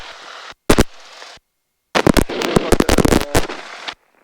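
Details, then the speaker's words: Aircraft intercom during a training flight lesson, with sharp irregular crackling pops in bursts over a quiet line; the student thinks his own headset is causing it and plans to use another headset. "I'm hearing some crackling yes I don't know if that's from you or where that's coming from I think that's coming from me my headset"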